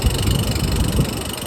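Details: New-install compactor (dumpster) exhaust fan, just restored from no power, runs with heavy uneven low rumble, rattle and vibration; cause bent fan blade and loose mounting bolts, fixed by tightening bolts and bending blade.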